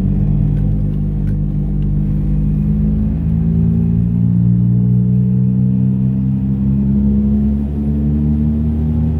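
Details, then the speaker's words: 2006 Volkswagen Jetta TDI accelerating toward 100 km/h: deep, steady growl rising with speed that goes away when swerving; badly worn right rear wheel bearing with play in the wheel. "okay now watch when I swerve to the left and to the right left right hear how the sound goes away the right rear wheel bearing is done"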